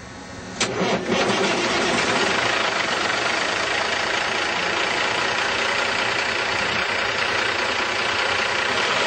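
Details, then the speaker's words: Volvo VNL780 semi with a 450 hp Cummins ISX and 10-speed overdrive autoshift transmission: starter cranks briefly, the engine catches fast and settles into a steady, even diesel idle with no knocks or misses; normal start. "This truck has a very fuel efficient Cummins ISX engine, and it's rated at 450 horsepower. Let's go ahead and hear it start up."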